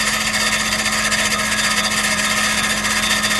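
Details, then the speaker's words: 2012 Chrysler Grand Caravan 3.6L, no-crank complaint: harsh metallic grinding scrape over whirring drone while cranking, no catch, flywheel scraping something; cause suspected, not confirmed. "go ahead cut it off the flywheel flywheel scraping something"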